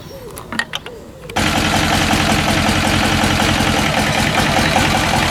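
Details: Westwood lawn tractor's Ruggerini twin-cylinder air-cooled vertical-shaft diesel, previously hydrolocked, after repair with new starter motor; quiet, then engine catches and settles into a smooth, even, steady chug with no knocks or misses, healthy.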